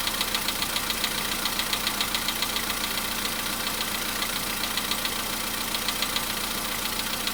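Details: VW Polo Sedan cold start, engine around 55°C after about 4:40 running: sharp, even light tapping three to four times a second over a quiet idle, fading as it warms. Cold-start engine knock, cause not pinned down.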